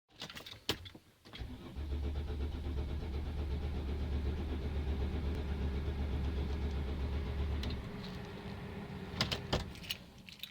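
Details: Mercedes Sprinter, steady low starter churn at about four beats a second for six seconds before letting up: extended cranking hard start.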